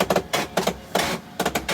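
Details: HP LaserJet 5200/M5025/M5035 series office laser printer making harsh, rasping grinding bursts that repeat about every half second.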